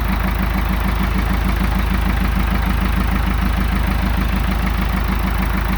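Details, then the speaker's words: Ford 555/655-series backhoe diesel, first start after rebuild, air bled from fuel system, hydraulic pump not yet hooked up: even idle with a regular low beat, no misses or knocks; runs really well, normal idle. "foreign and it runs really well so like I said I got a lot of other things to do"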